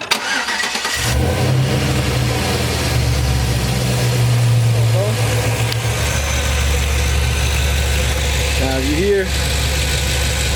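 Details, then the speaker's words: Caprice with swapped 4.8 LS V8 from a 2007 Silverado, after replacing one ticking lifter and a few thousand miles: cranks, catches in about a second, smooth even idle with only faint normal valve train noise. "it's still a little valve train noise but it's nothing you know concerning now it just sounds like normal valve train noise now"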